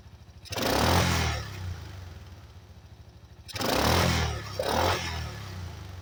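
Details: 1985 Yamaha Moto 4 ATV after old carburetor replaced with a new one; single cylinder putters evenly at idle, two quick throttle blips rise and fall back cleanly: normal running, apparently fixed.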